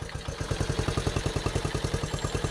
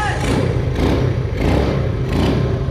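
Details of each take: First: 1974 Honda Trail 90 (CT90), sitting since 1984, with a new battery and still in gear: it fires right up and putters at a slow, even beat of about ten pops a second. It runs cleanly but the idle is set too low and needs bumping up. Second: 1974 Honda Trail 90 (CT90) single-cylinder, sat since 1984, first start after fitting a new spark plug: it catches and settles into a steady, even popping idle while still in gear; runs normally, though the idle needs bumping up a little.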